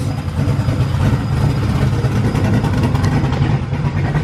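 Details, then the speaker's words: Ford Crown Victoria freshly built cammed V8, just started: lumpy idle rising and falling with a choppy cam beat, no knocking; 90 psi oil pressure, no leaks, runs fine. "Hell yeah. Sounds good. No leaks."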